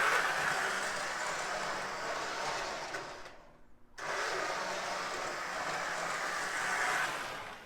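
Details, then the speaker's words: Lionel No. 51 Navy switcher, reassembled with its body back on after opening, cleaning and inspecting the armature and worm gear: soft, even, quiet whir with no growl, no louder than the No. 41 Army switcher, though slightly noisy on initial throttle. "much quieter [Applause] i'd say it doesn't make any more noise than the black army switcher makes so i think that's uh that's a that's a victory right there"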